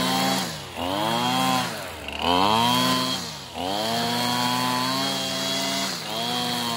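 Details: Older Husqvarna 225L straight-shaft trimmer after a carburetor replacement and tune-up, cutting weeds: a high two-stroke buzz rises and falls cleanly with each throttle squeeze; revs crisply and runs healthy.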